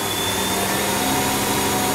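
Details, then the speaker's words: Zanussi/AEG/Electrolux washing machine in diagnostic mode, drum accelerating from balanced 650 RPM toward about 1,340–1,400 RPM max; smooth, even high rushing hum with steady whine, no thumping or grinding, healthy high-speed spin. "Now the machine will accelerate up to the maximum RPM depending on what motor is fitted to the machine."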